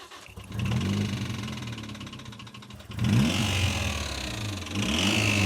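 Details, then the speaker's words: 1.8L wrecker-engine Yaris with a $169 eBay turbo that died after a hard track lap, believed blown; starter churns evenly and the engine coughs briefly but never catches; cranks but will not start. "No, it's dead, man. It won't run."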